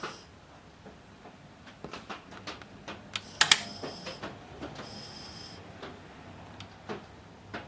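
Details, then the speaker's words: Pioneer CT-S405 cassette deck tape transport: irregular light ticks and clatters with a few sharper snaps, then it stalls and won't do anything; mechanism binding and jamming. "not good sounds like we got something [Applause] jamming up oh it won't do anything"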